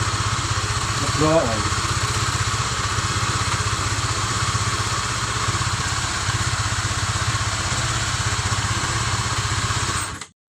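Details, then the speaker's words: Honda CB150 after full engine rebuild for seized piston and rod, head covers and radiator refitted: starts and settles into smooth, quick, even beat with no knocking or rattle; normal start and idle. "Dan untuk perakitan Honda CB 150 all teman-teman ya, ini sudah selesai. Sudah dirakit semua, untuk semua komponen mesinnya sudah dipasang semua, sudah dites."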